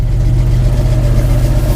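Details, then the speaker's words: 1957 International pickup, trouble-free on the ranch, idling with a steady, even low rumble and no misses, knocks or ticks; has started this well every day this week, smooth healthy idle. "this thing has started that well every single day this week it is absolutely amazing to me"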